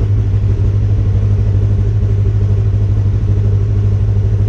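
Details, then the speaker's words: Polaris RZR just after Dynojet Power Vision 3 ECU reflash, right after cold start: even low rumble at a steady idle, no sputter or misses unlike usual; normal cold idle. "thing usually you know sputters a little bit when it first starts but shut this off I was actually a nice start that's impressive"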